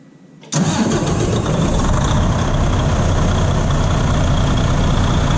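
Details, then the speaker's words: 2016 Freightliner Cascadia DD15 diesel, first crank after replacing failing starter, batteries reconnected: starter spins briefly, fires into steady even idle; healthy start. "Starter's installed. Batteries are hooked up. And we're going to give it a test. Turn it on. Crank."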